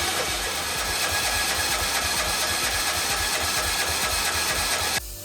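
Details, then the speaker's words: John Deere 111 mower with a replacement engine, cranked on jumper cables: steady starter cranking at about three turns a second for five seconds that never catches; no spark at the plug, coil gap possibly set wrong. "So, let me just crank this thing over. No spark. That should have shocked me right there and it did not."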